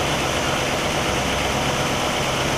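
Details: 1960 Pontiac Catalina 389 V8 at a steady, even idle with no misses, ticks or knocks, Heathkit IO-20 ignition oscilloscope attached; all cylinders are consistent on the scope and the ignition is spot on.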